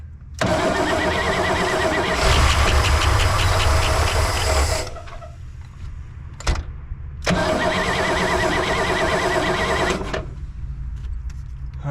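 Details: 1964 Oldsmobile 98 V8, first start after years sitting, old fuel, fuel poured into carburetor bowl: starter cranks, engine catches and runs a few seconds at about 600 rpm, dies when poured fuel runs out, then refires and runs.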